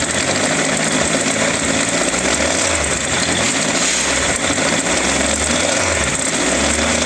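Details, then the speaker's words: Triumph Tiger 1200 motorcycle idling with a loud, harsh, unusual mechanical clatter from the engine, caused by a sheared alternator shaft; big ends showed no play. "welcome guys gotta try uh 1200 tiger here with some serious engine noises we're gonna have a look at it see what's causing this problem"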